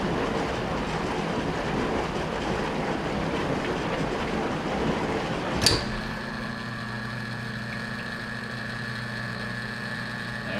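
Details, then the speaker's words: Hotpoint HDA3400G02CC dishwasher (GE-made), not draining: sharp clunk as drain solenoid pulls down, then steady even pump hum laboring toward the end as tub empties; normal drain. "a drain solid pulling down it's a pretty good drain now should kind of hear the pump sort of Labor towards the end when the tub is empty"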